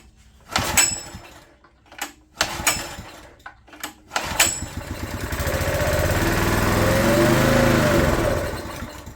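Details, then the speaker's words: Honda EG1400 open-frame generator bought non-running, spark plug checked good: a few recoil pulls, engine catches, climbs and sags unevenly and only keeps running on choke; carburetor problem, owner suspects plugged jet. "Alright. Well, she runs good, sounds good. We just have a carburetor issue, which we figured we had."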